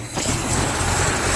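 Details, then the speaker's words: Toyota FJ40 Land Cruiser, sat for a while, just started with choke still on (stuck choke linkage): cold carbureted engine at a steady raised fast idle with an even low rumble. "It's alive! Choke's still on. I'm going to ease it off now."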